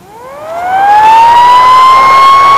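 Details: 200 W pure portable inverter on 12 V car battery, switched off and on again: whine climbs about a second then holds a steady high pitch, cooling fan loud enough to disturb the whole room; inverter otherwise works.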